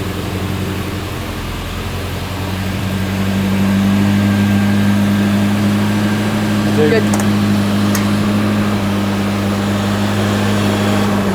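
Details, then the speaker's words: Volvo 240 with twin Dellorto 45 carburetors, started cold on choke and warming up: lumpy uneven idle with a couple of sharp pops; new misfire. "Not the not the smoothest at the moment. No. Still sounds good though. It sounds bloody brilliant. Got a couple of pops in there. Monica seems to have developed a little bit of a misfire since last time."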